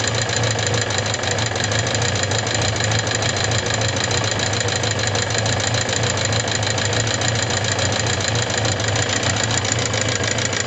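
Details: Suzuki GSX750S Katana at idle: fast light ticking, three to four clicks a second, since a day of hard revving; persists despite replaced rocker arms, camshaft, cam chain parts and tappet clearance adjusted 0.07–0.15 mm; cause unknown after shop teardowns.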